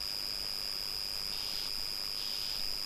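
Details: Old Acer PC that powers on but does not boot, 320 GB hard drive; steady high whine with faint irregular raspy croaks, the strangest drive sound, abnormal hard drive croaking noise, cause not yet investigated.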